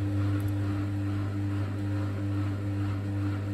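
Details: Bosch WFK2801 washing machine that showed error 03, stuck full of water after a 40-degree cotton wash, now set to spin: steady low hum with a constant tone and no grinding or knocking; drum spinning up normally.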